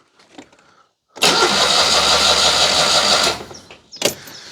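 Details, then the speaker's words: Citroën 2CV that conked out and won't restart: starter churns evenly about two seconds, engine never fires; no spark, 12 volts at coil; coil poor, but owner suspects the electronic ignition unit. "nothing so uh despite the fact that coil isn't very good I think it sounds a little more like we've got a problem with the electronic ignition unit"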